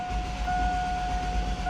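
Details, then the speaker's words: Engine that cranks but won't start, cranking: starter whine over even pulsing compression impulses as it rolls over; compression is good, ruling out a jumped timing belt or chain, which would sound smooth like a sewing machine. "can hear that the sound on there you can hear the actual impulses of the compression as it rolls around"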